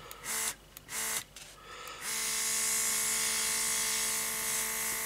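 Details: Elikliv cordless rechargeable airbrush compressor, about six to seven months old, spraying after cleaning: a few brief bursts, then a steady high buzzing hum with an even airy hiss; the compressor runs smoothly and sprays well.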